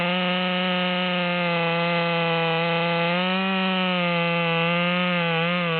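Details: Modified ("Psy-Ko-ized") Stihl MS200T with 25-inch bar, cutting after carburetor needle tuning near upper rpm limit: high, steady buzz holding pitch with only slight dips; running better in the wood, normal cutting under load without bogging.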